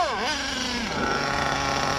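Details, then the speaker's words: Redcat Earthquake 3.5 nitro RC truck with two-speed gearbox on 30% nitro fuel; pitch sags, drones flat at full throttle; high-speed needle tuning tried, reaches higher rpm, engine not shutting off, brakes fine; owner suspects gearbox; bogging at full throttle. "it can't possibly be that because it's getting the higher rpms but it just box down so much motors not shutting off brakes are good"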